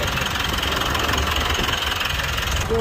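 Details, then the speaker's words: Mitsubishi Montero Gen 3 4N15 diesel, 22,000 km, which was noisy on cold mornings, idling after the rough alternator pulley that fought the belt was replaced: steady even clatter with no chirp or rough whirr from the belt side. Normal idle. "Yun nga, sabi nga ni boss, gumanda yung tunog dahil sa napalitan natin yung pulley ng alternator."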